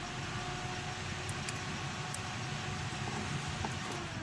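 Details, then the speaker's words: 2002–2006 Mitsubishi Colt 2.8 turbo diesel (Rodeo) with an aircon fault: the interior fan blows and the aircon light comes on, but the aircon won't engage. During electrical testing with a test light, the fan switches on and off with a steady, even whoosh and low hum, no rattle. "I don't know if you can hear in the video, but the fan is on. There, it's off. On."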